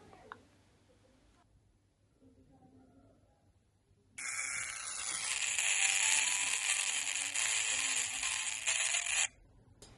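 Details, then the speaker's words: Smartwatch rated waterproof to 1 m for 30 minutes, after falling into a pool, powered on while charging: its small speaker, also used for calls, gives about five seconds of harsh, buzzy, garbled hiss with nothing understandable, water-damaged and broken. "And this is the sound that you can hear from this little speaker. And this little speaker is also for voice calls, etc. So as you can see, nothing is understandable from here."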